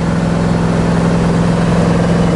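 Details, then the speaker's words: 1966 Chevrolet Chevelle V8 in third gear at about 40 mph, just started, not fully warm: steady even drone under light load, no rattles, squeaks, vibrations or gear whine; normal running. "but you can hear there's no rattles no squeaks vibrations"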